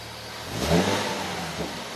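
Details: Nissan 370Z revved quickly: a faint whine rising in pitch with engine speed over the exhaust note; source unclear.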